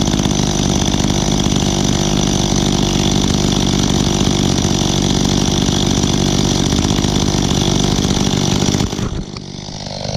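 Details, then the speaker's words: Echo two-stroke outdoor power equipment started for the season: loud, raspy drone wavering unevenly for about nine seconds before dropping off; rough running, carburetor adjustment suspected needed. "it sounds like I need to do some adjustments on the carburetor on this one"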